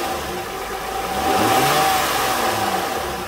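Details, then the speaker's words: 2006 Honda Ridgeline with a replacement alternator, during belt squeal diagnosis: the engine revs up and drops back smoothly with no chirp or squeal, and the belt noise is now gone. The mechanic suspects the alternator pulley is slightly narrower on its inside edge. "but i can't see anything wrong with this pulley but as you can hear the the belt noise is gone now"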